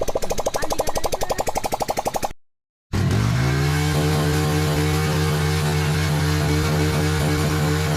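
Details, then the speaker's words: Motorcycle after carbon cleaning and valve work, owner had complained of black smoke, started before/after silencer refitting: rapid chuffing, short silence, then steady low idle with even four-per-second beat. Normal, smooth idle. "Silencer ఎక్కించక ముందు ఒకసారి bike start చేసి చూపిస్తా, అలాగే silencer ఎక్కించినాక ఒకసారి start చేసి చూపిస్తా."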